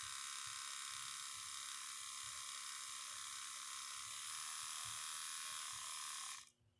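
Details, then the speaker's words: Cummins diesel from an old bus with Allison transmission, sat outside nearly 3.5 years, fuel line run from a diesel can: key bumped, steady high electric buzz of the lift pump priming about six seconds then cutting off cleanly; normal. "a lot of times what you can do is just barely bump it over and you hear the fuel pump running it'll run for so many seconds and shut"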